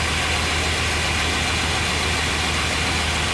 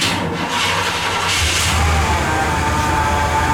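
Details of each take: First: 1998 Chevrolet 1500 5.7 V8 started with accessory belt removed to isolate noise; steady, even idle with no squeal, whirr or bearing growl, confirming earlier noise was the alternator: normal idle. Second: 1998 Chevrolet 1500 5.7 V8, 82,000 miles, running: steady high whine above the engine rumble; test without the belt showed the noise comes from the alternator rather than accessories or idler pulleys.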